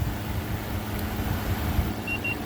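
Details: First run in 5 years of a 2014 5000 BTU Frigidaire window AC on high cool: a low, steady hum with no rattles. Air falls from 52 to 47, coil 53, condenser 64, and the compressor runs normally and quietly.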